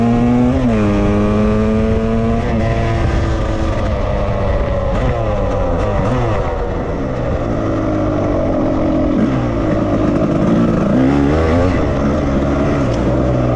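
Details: 1998 Suzuki RMX250 two-stroke, badly overheated with melted aluminum and pitting in the cylinder, reassembled without a rebore; crisp buzz revving cleanly, pitch following throttle, no knock or misfire.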